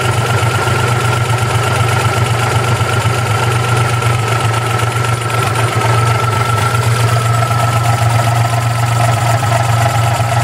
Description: 92 Geo Metro LSi 1.0 rough idle